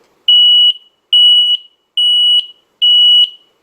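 Four loud, shrill beeps, each about half a second, spaced under a second apart: the CO alarm sounding its test/reset pattern.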